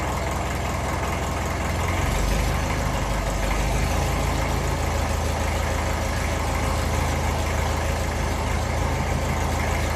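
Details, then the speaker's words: 1954 Ferguson 20 TEF diesel tractor, cold start on a cold evening with heater plug: low chug drifting slightly up and down before settling, mild cold idle hunting, considered fairly normal when cold. "little bit up and down. I don't mind once it settles, that's fairly normal when it's cold."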